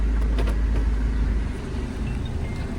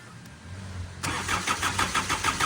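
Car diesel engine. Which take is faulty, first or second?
second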